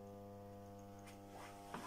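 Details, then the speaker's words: Blue Box electric kiln with PIXSYS ATR902 controller, just started on a glaze firing program for earthenware to 980C: steady low electrical buzz from the elements vibrating as power courses through them, which is normal. "and you can hear the kiln buzzing that is the the elements inside the Keon chamber vibrating as the power goes courses through them"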